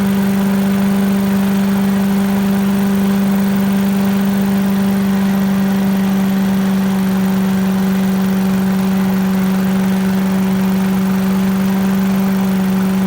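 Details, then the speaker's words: 1980s Billy Goat vacuum small engine running after turpentine-smelling fuel drained and fresh gas added, spark weak; smooth, steady drone at constant speed, no misses, knocks or surging; needs extra pulls, owner suspects low compression, but runs well; normal running. "looks like it works looks like it just uh I don't know needs a few extra pulls maybe low compression or something but runs like a champ once it runs"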